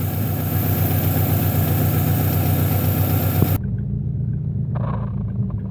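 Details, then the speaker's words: Honda H22A 4-cylinder after fix for high cold-start idle surge from the fast idle valve, throttle body cleaner sprayed: steady low even idle with no hunting or surging, running quieter and better than before. "idol is very steady the engine is actually running a lot better lot quieter and better than before"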